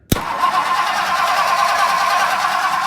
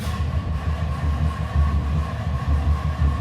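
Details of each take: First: 1964 Ford Country Squire after starter replacement, cranked from the relay: steady, even cranking at a quick pace with no grinding or clunking; the new starter turns the engine over cleanly. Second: 1964 Ford Country Squire, battery voltage good: heavy, slow, labouring uneven crank that never catches; worn dragging starter motor, solenoid also suspected, starter being replaced.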